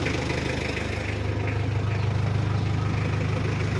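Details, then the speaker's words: Mitsubishi L300 diesel after an injection pump rotor head upgrade to 12 mm, a final gear ratio change and a part replaced with new original: a steady, smooth idle with even firing and no knocks. The pump is set for a smooth sound. "mesinnya kita setting untuk suara halus kita ke sebelah Sisi kiri"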